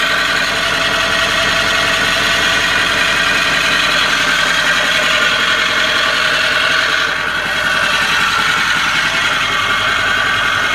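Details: Early 2004 Ford F-250 6.0 diesel at idle: a harsh, gritty grinding layered over the diesel clatter; the cause is unknown.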